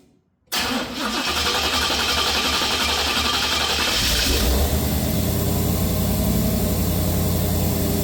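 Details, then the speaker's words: Square-body Chevrolet C10 V8 with HEI distributor; lumpy uneven idle from two cylinders running cold, traced to two worn-out spark plugs: misfire on two cylinders. "Okay, we are all warmed up, and so these are the 2 cylinders, like I was saying before, that were really cold compared to the others."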